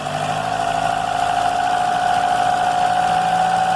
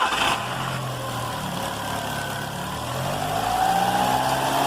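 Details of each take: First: Car with an engine noise traced to the crankshaft belt, run with the belt removed and revved gently: steady, even fast idle with no squeal or knock, so the noise stopped; the engine internals are fine and a new belt is due. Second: Car engine starting and idling with a light, fast, squeaky chirp several times a second from the front accessory belt area, said to get worse while driving; could be a plastic part touching the belt or a bad alternator bearing.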